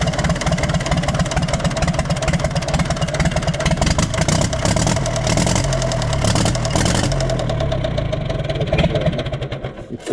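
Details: Universal 550 tractor diesel idling with uneven knock about twice per second; fuel leak and occasional blue smoke seen, injectors serviced but noise remains; suspects injector, compression loss or piston, compression test needed, unconfirmed.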